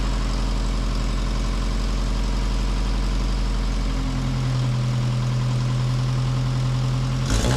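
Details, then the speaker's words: Austin Allegro classic car after homemade exhaust built with Peugeot 207 rear mount: smooth, even low idle with a deep steady exhaust note settling slightly lower midway, no blowing or rattles; sounds healthy. "The answer is she sounds pretty good."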